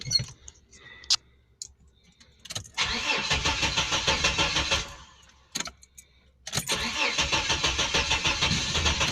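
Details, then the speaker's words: 1989 Chevrolet S10 Blazer cranking in steady bursts, catching now and then but not firing for a long time; owner suspects the oil pump is not working. Extended crank, no start yet. "trying to start I just don't wanna crank it too long because it's just not good for him you never want to over crank any vehicle it's just it's bad for the battery and it's just not a good thing to do"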